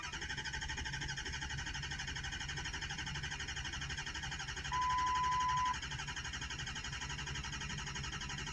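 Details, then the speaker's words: Ford F250 6.0 diesel crank no-start: even starter churn, about four beats a second, never fires; injection control pressure reached only about 200 with desired near 1300 at about 80% duty, so not enough oil pressure. "el porcentaje del controlador como un 80 por ciento lo que significa que esto no arranca porque no tiene suficiente presión de aceite"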